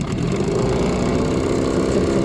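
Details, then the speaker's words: New HDX 9.8 outboard at the start of break-in: a steady run with a light, rapid ticking that wasn't there yesterday. Owner wonders if it's the piston; a connecting-rod knock from a factory defect is suspected. "Цик-цик-цик-цик-цик. Странно. Вчера не было такого. Сейчас есть. Как клапана на шестнаре."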